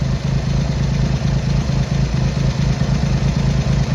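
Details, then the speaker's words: Triumph Hurricane X75 triple after carb rack rebuild, right and centre pilot screws just over a turn out, left carb adjustment corrected: deep, fairly even burbling idle, no miss or clatter; running better, slightly rich; road test needed for further tuning. "That's better. So we're getting there. Without a road test, we're not going to be able to do much more, to be honest."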